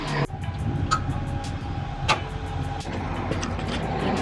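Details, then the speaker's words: Unimog 24-volt solenoid newly installed to feed an engine-bay bus bar. A crisp clack as it pulls in, a faint steady hum while held, then a click on release, showing normal solenoid operation. "That's the sound of a solenoid working. There we go. 24 volts."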